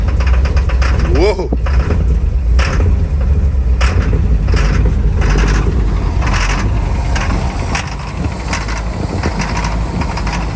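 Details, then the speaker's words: 1961 Chevrolet Impala barn find after 28 years sitting, starting fluid used, oil full: low, uneven chugging with a lumpy irregular beat that never settles into a steady idle; rough running. "again all right here it goes [Music] again [Music] it's running but it's rough [Music]"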